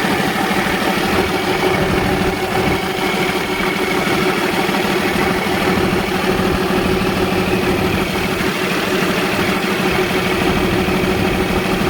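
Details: Cummins diesel in a Freightliner truck that would not start, after the fuel pump was replaced: the engine settles into an even, steady idle with a smooth clatter and no misses or surging, sounding healthy.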